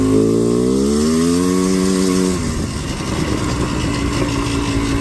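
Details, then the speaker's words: Four-wheeler two-stroke riding: steady buzzing note that drops and turns ragged instead of climbing at full throttle, feeling like half throttle while 3/4 throttle is quicker; bog attributed to the carburetor not being jetted. "it's like not as good. Or it doesn't feel like you're in full throttle. It feels like you're half throttle. Like if you were to back off full throttle for a little, or like just barely, and go like 3/4, it's way quicker than full throttle actually is supposed to be. But it's just because it's not jetted."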